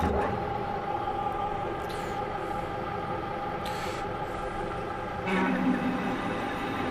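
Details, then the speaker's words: Manual metal lathe parting one-inch steel rod after spindle reduced from 460 to 300 RPM to cure chatter, with cutting fluid and slow cross feed: even, steady cutting tone, no chatter or squeal; smooth cut. "the chatter went away we're getting nice chips across there again"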